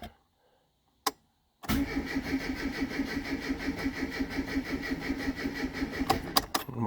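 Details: Classic Mini MPI just after an in-tank fuel pump swap, pump heard priming: slow, uneven cranking labors along without ever catching. Starter dragging on a flat battery, so no start.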